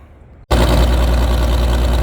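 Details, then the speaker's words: Old machine after jump from a second camper battery and wiggled leads, full choke; it wasn't flooded after all: quiet, then it catches at once and settles into an even, steady low idle with no misses. "We ended up having to go with another camper battery and wiggling our leads a little bit. And we got a good enough crank. I went full choke. I guess it really wasn't flooded, but I went full choke and it fired right up."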